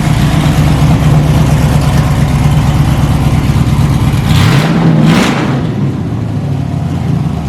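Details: S10 drag truck with a stock 5.3 LS V8, small cam and small radiator: deep, lumpy cammed idle, then a quick blip that rises and drops back, running strong and even with no knock or miss; normal.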